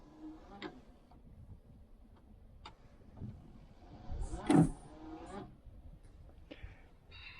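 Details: 1968 Chevelle Nomad, newly installed non-concealed wiper motor (likely from a 1969 parts car) with new wiper arms and blades: quiet motor hum, soft evenly spaced sweeps, no grinding or clunking; wipers running normally.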